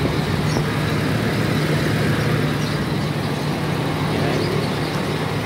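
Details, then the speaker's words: 2006 Toyota Innova after no-crank fault traced to carbon and part replaced with new stock original: steady, even low drone with no misses or knocks, rpm constant; starts and idles smoothly. "Ayan guys nag-start na siya. Pinalitan natin ng stock. Okay na yan."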